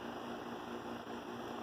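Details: ComfortMaker central air conditioner condenser at least 21 years old, possibly from 1983, never repaired: steady even whoosh of fan air with constant low hum, no rattles or surges; normal running.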